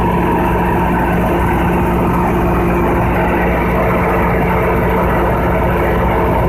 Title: Conduct load test of Generator 3500 KVA# Loud Noise#